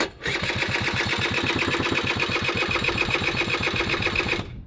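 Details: Honda Vision moped with a race-tuned 125cc two-stroke AliExpress engine, new and needing running in, choke on, kickstarted: quick, even popping beat at steady revs with no misses or stumbles; caught and running cleanly, feels very powerful.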